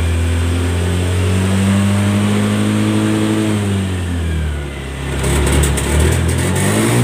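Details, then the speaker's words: Honda Scoopy eSP 2017-2018 scooter: under full throttle engine climbs then sags and stutters, limited to about 60-70 instead of 100; misfire and hesitation. "Jadi kalau digas pol dia itu mbet mbet tidak bisa lari sampai 100 dia larinya sampai 70-an seperti itu."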